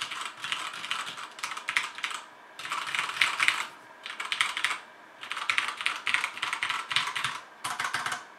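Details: HyperX Alloy FPS Pro mechanical keyboard, Cherry MX Red switches, PBT plastic keycaps, aluminum top plate, typing test: crisp even clacks in quick bursts with pauses, no rattles or scratchy keys; normal, good-sounding keyboard.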